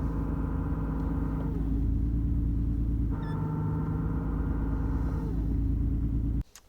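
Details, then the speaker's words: BMW E34 with Getrag 260 manual gearbox, MANNOL additive in gearbox: steady road drone with faint constant hum or whine over the engine while driving, heard first evening; gearbox whine, repair planned. "Я уже услышал что коробка из какой-то не характерный звук а именно гул такой неприятный или свист или вой там дальше покажу"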